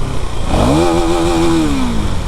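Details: KTM Duke 390 revved to high RPM: raspy, harsh edge over the exhaust note; abnormal engine noise under revving, cause unclear.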